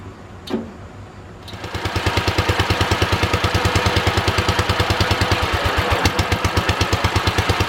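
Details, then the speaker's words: Wisconsin THD twin-cylinder engine on first start after repair: catches and settles into a lopsided, uneven chuff at about three beats a second; running on one cylinder, front suspected, from a stuck exhaust valve. "It sounds like we're only running on one cylinder. I think it's the front one here."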